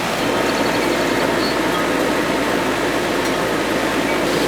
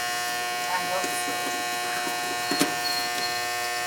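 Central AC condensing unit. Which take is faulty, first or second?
second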